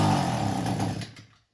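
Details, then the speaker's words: Echo weed eater two-stroke, carburetor pump section already cleaned: it runs ragged for about a second, then sputters and dies to silence; stalling after start, cause still unknown. "All right, that's what it sounds like, and it'll stall right out."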